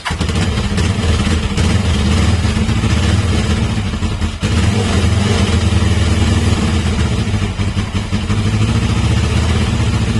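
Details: Carbureted inline motorcycle engine after timing chain replacement: catches and settles into a steady, throbbing idle with a few throttle blips and no grinding. Runs normally; the earlier grinding noise at 5–6000 rpm is fixed.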